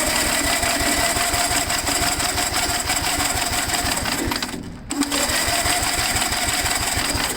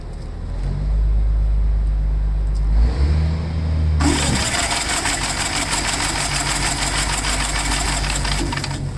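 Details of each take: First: Gravely tractor, starter briefly engaged with two-stroke mix in cylinder: quick, even chuffing beats, each compression stroke alike; good compression, magneto points still to be cleaned. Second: Gravely tractor after cleaning magneto points, owner over-primed fuel, compression seems good: cranks, coughs and sputters unevenly, then catches and runs harsh with smoke; flooding from too much prime.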